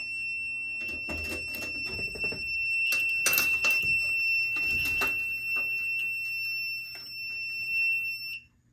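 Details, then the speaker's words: FireLite MS-2 fire alarm panel running with no batteries connected: a steady, high-pitched piezo trouble tone; the cause is suspected to be the power trouble or a NAC fault, not confirmed. "and the reason why there's a power trouble is because there are no batteries hooked up system trouble I believe it's either the power trouble it's either because of the power trouble or because of the Knack fault"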